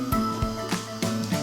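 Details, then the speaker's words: Laube clipper DC motor on bench test before brush cleaning or replacement: buzzing hum lurching about three times a second with low thumps, binding and dragging, smoking; worn or carboned brushes suspected, not confirmed. "I can hear there's some binding going on. Yeah, there's the smoke."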